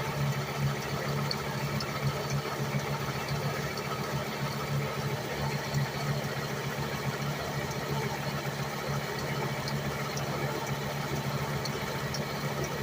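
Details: 1998 Volvo S70 base five-cylinder, warm, timing belt replaced at ~140,000 miles: light rhythmic chirp in time over steady idle; owner suspects crankshaft pulley/harmonic balancer, not pinpointed with stethoscope.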